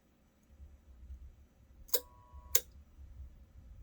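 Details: Electric Whirlpool water heater with an EnergySmart control box on top: two sharp clicks about half a second apart over a quiet low hum, recurring often day and night; no visible cause was found inside the box.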